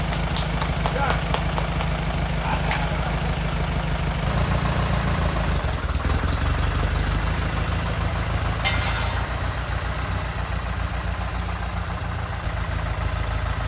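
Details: 1950s Allis Chalmers CA four-cylinder tractor, revived after 20+ years seized, new rotor and condenser: steady low chug at idle firming up a few seconds in; running fine.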